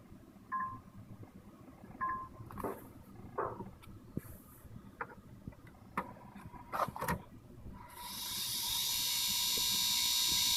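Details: Xbox One optical drive with scattered clicks, short tones, then a loud hissing whir; the noise began on day two, stopped after a week, returned worse a month later, and the drive no longer reads discs.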